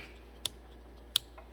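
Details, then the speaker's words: 2006 Honda Civic with AC on: two sharp clicks as the AC compressor clutch engages only intermittently; suspected excessive air gap on the clutch coil leaving it without enough power to engage. "See, it did not engage that time. That's usually a result of excessive air gap on the clutch coil. Hasn't got enough power to engage."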